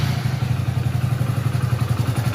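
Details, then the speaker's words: 2021 Hero Splendor Plus BS6 single-cylinder with engine fully cold, at idle: quick light even tick over the thump, tappet noise said to grow as the engine warms; loose valve tappet clearance, due for adjustment. "तो अब इस bike का तो क्या इसका engine बिल्कुल ठंडा है अब जितने भी यह ज्यादा बाइक गम होगी तो उतनी इसकी जो टेप की आवाज है वो बाढ़ जाति है"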